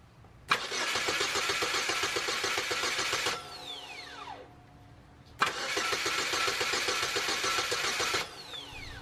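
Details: 2004 Saturn Ion 2.2L Ecotec with a months-long intermittent no-start (only solenoid click; battery and near-new starter good): two cranking bursts, steady fast churn with no catch, during a voltage drop test, which showed excessive drop on the starter's positive feed.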